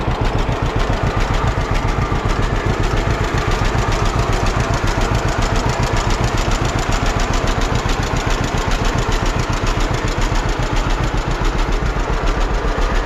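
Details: 1946 John Deere BN two-cylinder tractor on a 47°F day, after carburetor rebuild and governor throttle control rod adjustment to fix earlier surging: steady, even putt-putt at low idle, no hunting or surging. Idling smoothly and healthy.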